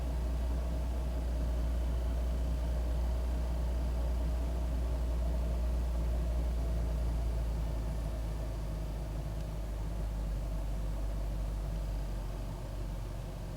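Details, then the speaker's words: 2001 Ford Taurus idling after cleaning the idle air control valve and throttle body, previously idling rough: steady low rumble, even with no hunting or stumble; running better, the valve will need replacing if roughness returns. "it seems like it's running better but if it starts acting rough again i just have to put a new part on there"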